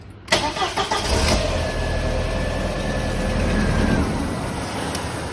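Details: 1999 VW Passat 1.8T petrol, no-start with a main relay fault code: cranks briefly, catches and settles into an even idle once the relay is bridged, pointing to a failed relay with suspect solder joints.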